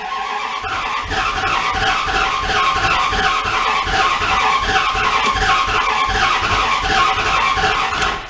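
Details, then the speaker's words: 1997 Dodge Ram pickup parked four years with misfire issues: runs with an uneven, sputtering, pulsing beat and a high squealing edge; owner calls it a timing issue, not confirmed; coil looked bad. "come on you can hear it kind of like where it like spins backwards [Applause] that right there that's a timing issue"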